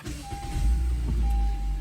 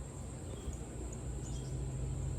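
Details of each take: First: 2015 Honda Civic push-button start after starter replacement for an intermittent no-start: brief crank, then it catches within a second and settles into a steady low rumble. A clean start, the tenth in a row. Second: 2015 Honda Civic push-button start: sharp uneven clicks under the hood over a low hum, no cranking; intermittent no-start traced to a failed starter, which was replaced.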